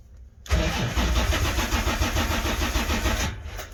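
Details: 1980 Corvette C3, first start attempt after two years sitting: the starter grinds over steadily at about three turns a second with no catch and no fuel pump hum. The engine cranks but won't fire; pumps not running is suspected.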